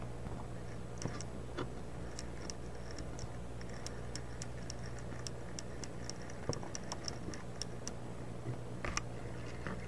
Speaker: you hear all that scratching sound those clicking sounds this motor is a dud